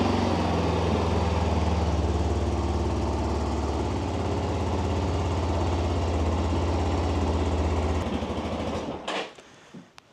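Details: Benelli BN 125 single idling just after an oil change and a new filter; thumps along at an even, steady beat of about four per second and settles smoothly before shutting off, a healthy idle.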